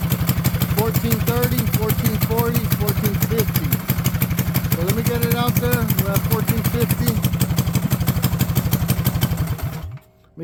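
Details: Mini bike single-cylinder with new clutch and new gas tank: steady fast putter at idle, even beat about three a second, no stumbles or misses; idles smooth and clean.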